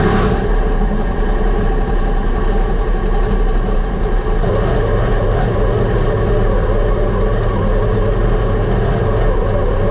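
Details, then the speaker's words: V8 dirt modified race car at low revs: loud, steady burble with a faint thudding tick underneath; a mysterious ticking/thudding noise persists, source not pinned down, and the clunk reportedly worsened through the night. "Also, that ticking noise is still about, what should I call it, a thudding noise."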